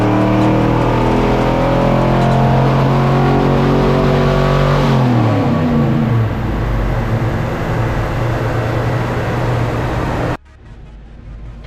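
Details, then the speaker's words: Engine on dyno after a budget heads/cam/intake swap: pitch climbs under load, then breaks up and stumbles, bogging and misfiring from about 2,000–2,500 rpm; pull restarted at 3,500 rpm, cutting out as soon as load hits. "For some reason, it's bogging down real bad and wanting to misfire a little bit when we start to pull about 2,000 or 2,500."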